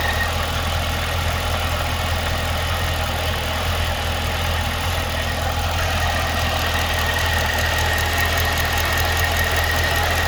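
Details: 2012 Cadillac CTS-V at idle: a steady idle with a fast, light tick of roughly three or four per second over the engine note; ticking/knocking at idle, source unclear.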